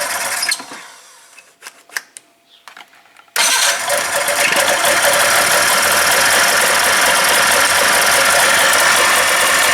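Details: 1996 Polaris Classic two-stroke snowmobile with airbox off after carburetor adjusting, newly fitted tether cutoff: a few clicks, then it catches at once and settles into an even, buzzy idle; runs fine.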